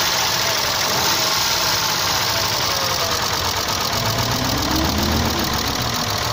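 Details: Isuzu 3.2 6VD1 SOHC 177hp V6 at steady idle: fast light ticking, roughly four per second; hydraulic lifters chattering, likely from counterfeit oil, since the knock disappeared on different oil.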